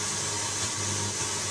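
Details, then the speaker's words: Pioneer radio tuner after cleaning the crackly tuning control, no aerial connected. Even steady hiss, no crackles, pops or dropouts; contacts sound clean, though fix may not be permanent. "no crackles as I can hear the free stuff that's another miscellaneous signal that doesn't concern anybody but me"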